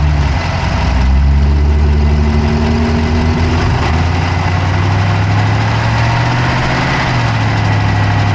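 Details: Dodge Charger Hemi V8 at steady idle, recorded inside the engine bay on the passenger side with an Insta360 Go3: quick, light ticking at roughly four a second rides over the idle; a fast engine tick, cause not yet pinned down.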